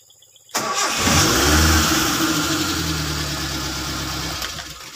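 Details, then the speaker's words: Car, repeated stop-start test: catches on the first crank within a second, revs briefly, then settles into an even, steady idle with no misses; car deemed reliable. "Jadi mobil sudah enak kita pakai, jadi siap merantau ya, siap mencari bumbu dapur."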